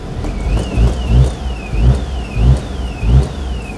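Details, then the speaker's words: Invacar "Desmond" idling with lights, heater, heated rear window and rear fog light on after a belt fix: steady idle, soft rhythmic pulse, light whine; sounds better. "That sounds better. Yeah, there's still some weed there, isn't there? So, Desmond hasn't entirely lost his character, but uh there we are."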